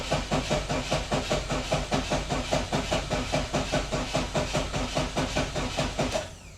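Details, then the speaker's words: 1988 Saab 900 Turbo that hasn't started in months: slow, even cranking at about 74 beats a minute never catches; spark present but getting weaker, fuel confirmed with fuel pump relay jumpered; faulty Hall sensor. "We're getting spark. It's getting weaker and weaker, but we are getting spark. And I know we have fuel."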